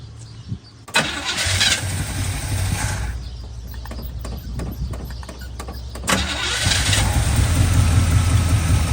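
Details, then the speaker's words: Barn-find Chevy square body truck with a 350 V8 and automatic: catches with uneven sharp pops through the carburetor and a rough, lumpy idle. Distributor cap and rotor ruled out; timing set by ear and suspected, not confirmed. "Not the distributor cap, it's not the rotor button. It's not anything to do with inside the distributors, I think of it. So it's probably the timing."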